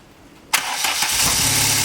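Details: VW Mk2 Golf after engine bay refresh, engine refitted and rewired, first start after reconnecting a loose connector; quick crank, catches at once, steady even idle with no misses or knocks: healthy start.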